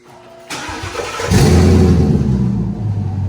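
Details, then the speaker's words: 2017 Mustang twin-turbo on3 kit with 3-inch dumps, hood closed: quiet crank, engine catches at once into a loud deep steady rumble; owner says quieter than before, scavenger pump audible. Normal start. "yeah I'll start up at least the car is a lot quieter than it used to be you can actually hear the scavenger pump more so than anything honestly at this very point"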